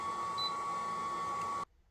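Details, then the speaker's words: Ryobi 1800W RYI1000 power station under a 1,600 W load test: a steady high single beep for about 1.5 seconds, then stops dead. Likely an overload warning; the inverter could not hold 1,600 W. "let's just wait a moment and uh see if it can hold no I mean I don't know why 1,600 and it couldn't hold guys"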